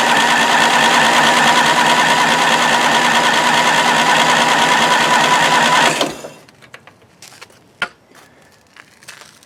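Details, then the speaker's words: 1993 Craftsman LT4000 riding mower, first start after sitting four years: even starter cranking for six seconds with no firing; cranks but no start, found to be flooding with fuel, cylinder possibly washed down. "Not exactly sure why it took so long to start, but, well, it took so long to start cranking. But it didn't fire up, which makes me sad, because that means I might need to do stuff."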